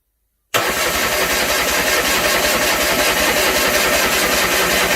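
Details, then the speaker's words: Land Rover 300Tdi diesel fitted to a Ferguson TE20 tractor, no turbo pipe or exhaust, on first start attempt: steady chugging crank at about four beats a second that never catches; milky water in the fuel system and likely air in the lines. "I would say that's a bit of air in the system now"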